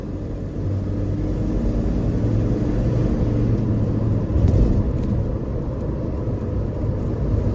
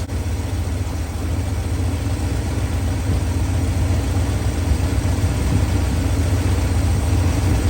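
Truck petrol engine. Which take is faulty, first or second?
second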